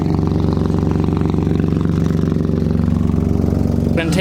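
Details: BMW E36 drift car after patching a bad exhaust leak with exhaust putty: steady even low exhaust pulses, no puffing or ticking from a leak, then a short sharp pop/backfire; normal exhaust note.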